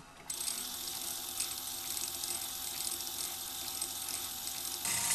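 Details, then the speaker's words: 1978 RCA VCT-200 VCR pressing play: fast uneven tinny rattle and clatter from the tape mechanism, vibrating as if broken; a drive gear behind it is cracked in half. "so whenever I try to hit play that happens they said there was a gear wave acting behind it so that's not working right"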